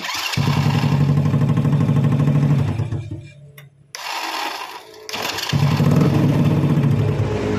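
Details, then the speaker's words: Honda Supra Fit motorcycle after starter motor repair (worn brushes, loose magnet, shimmed loose shaft that caused growling): engine fires, idles steadily, stops, then restarts promptly; starter engages cleanly with no grinding. "Oke, ya. Nyalanya mudah ya. Ini tanpa ngegas dan digas tetap bisa, Kang Bro, untuk double starternya."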